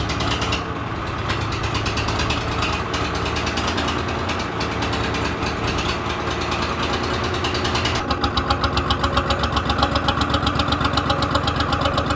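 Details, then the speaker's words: 3-cylinder Lister diesel in a harbor boat that lay flooded about 3 years: steady, even idle with a regular beat of about four per second and no knocks or misses. It picks up when the gearbox is engaged; running healthy. "Well, it's running. super good. Now it's idling."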